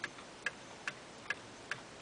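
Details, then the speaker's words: Eight-day clock with Geneva stops, in beat: crisp, evenly spaced ticks at about two and a half per second with no limp; an out-of-beat clock ticks like a heartbeat and stops early. "another reason that clocks sometimes don't go the whole eight days is is there out of beat um this one's in beat"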